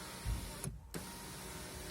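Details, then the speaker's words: Skoda Octavia A5 front power window after spraying the squeaking lowest regulator roller with WD-40: smooth, even motor whir, no squeak or squeal as the glass travels; runs quietly, normal operation after the fix. "И мгновенно перестало все пищать. Сейчас вот работает тихонечко."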